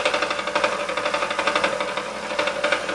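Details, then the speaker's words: Vintage KitchenAid K5SS stand mixer before restoration, running: steady motor hum with light clacking about four times a second from the gearbox, some grinding and hot-motor smell; gearbox clatter, probably old, dried grease. "it does sound a little clackety in the gearbox they're not sure what that is"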